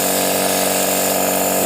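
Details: Used portable direct-drive air compressor being checked before purchase, air output strong at the outlet: constant high buzzing whir from motor and pump, smooth, no knocking; normal running.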